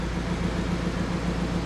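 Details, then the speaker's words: VW Multivan engine at first start after timing belt replacement (crank marks reset) for a knock from the engine: steady, even low rumble, smooth beat, no knocking or ticking; idles cleanly like clockwork. "но сейчас был первый запуск завелась вот так вот работает ровно движок как часы"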